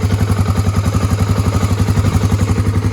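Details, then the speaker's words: 1986 Honda ATC350X single-cylinder three-wheeler after idle raised: even thump about four pulses a second, steady, no stumbles or misses; sounds better and more even, idle left there. "That sounds a lot better. That sounds a lot more even. That's where I'm going to leave it."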